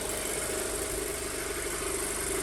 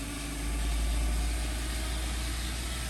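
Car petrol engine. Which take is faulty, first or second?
second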